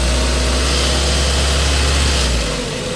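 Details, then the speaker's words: Ford Focus Mk1 idling after a drive belt change; a light tinny rattle buzzes over the steady idle, which comes from the exhaust heat shield and has nothing to do with the belt; heat shield rattle. "And that noise, by the way, is the heat shield when you hear that rattling. It's nothing to do with the belt."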